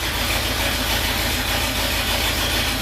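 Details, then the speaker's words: 1973 International Loadstar Blue Bird bus engine, just after replacing the failed accelerator pump diaphragm, idles evenly with a steady low rumble and no surging. The earlier high idle was likely from a vacuum leak, and oil pressure is good. "Running pretty good now, and it's idling good. Maybe it was just idling high before because of that vacuum leak."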